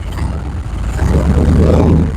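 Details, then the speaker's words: LS1 V8 with side-draft/cross-ram injection, new Aeroflow fuel rails and retuned stock LS1 PCM, first start: deep uneven lumpy rumble, running rough; right bank puffing black smoke, running really rich. "everybody's running a bit rough there but um that right Bank a bit of um black views which it never really ran before and I can see it all it shows up in the camera running really rich on that thing"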